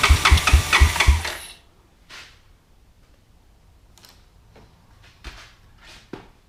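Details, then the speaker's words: Honda Fourtrax 200SX quad after carburetor cleaning for stalling and rich running, idle screw changed: starter cranks in quick uneven chugs about 1.5 s without catching; hard start, owner fears it may be flooded. "It might be flooded out yet, I hope not."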